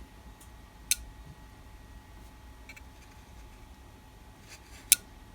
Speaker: Oh, something clicked. Oh, it's clicking it.